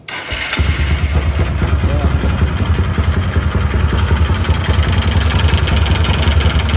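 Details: 150 Sport motorcycle engine firing up and running with an uneven, rough knocking beat of unknown cause; on teardown the oil strainer screen was found completely dirty and clogged.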